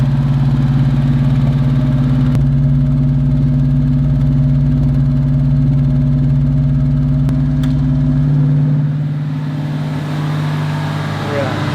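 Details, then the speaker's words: Fox Body Mustang, 4-barrel carburetor (not fuel injection), cold on the choke after a no-parts fix. Steady, even fast idle with a firm, regular beat before the revs ease down, no lean stumble; owner says it never ran smoother. Normal. "Never ran so smooth. Yeah? Never ran smoother than it is. Even on the choke?"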